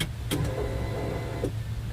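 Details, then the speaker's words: 1989 Ford Thunderbird, new fuel pump just installed without dropping tank, key-on prime: soft, steady low hum through the prime cycle with no squeal; the old pump squealed, the new one sounds much better. "Yep. Boy, that sounds a lot better than the old one. The old one was kind of making a little bit of a squeal."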